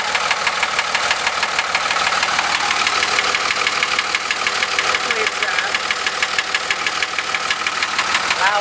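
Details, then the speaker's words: 2003 Dodge Cummins 5.9 diesel running with a loud, sharp, regular knock about three per second. Not the flex plate or transmission, because the noise persisted with the transmission pulled back. "all right okay 2003 Dodge 5.9 comings making a loud knocking noise"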